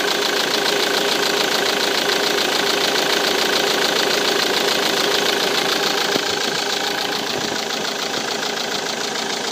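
Even diesel clatter at a steady idle, about three and a half beats a second, no misses or odd knocks; healthy running engine.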